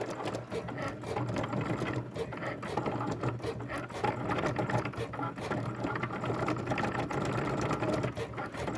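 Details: Loud, busy mechanical chatter from a Cricut cutting machine, with rapid clicking and rattling throughout the cut, far noisier than a normal smooth pass.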